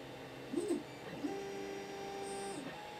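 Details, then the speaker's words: 3D printer after adding stepper motor dampeners to X and Y axes: soft steady stepper hum with light motor tones, no buzzing or rattle; quite a drop in sound, normal quiet running. "there you have it quite a drop in sound just by adding a gapper to the X and the y"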